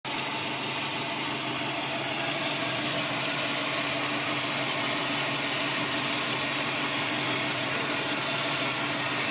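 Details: Subaru WRX: thin steady whine over a hissy engine note that hardly changes; WD-40 on the pulleys makes it come and go while driving, possibly belt-driven accessories, cause unknown.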